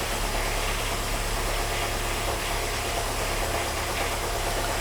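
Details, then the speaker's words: 2010 VW Fox on ethanol, still cold, mixture 9:1, after repair and a road test; steady, even low hum with no knocks, misses or rattles, now quiet apart from interior plastic noises; normal idle. "e é isso aí Senhores o carro tá sereninho Dei uma volta com ele ficou silenciosinha agora"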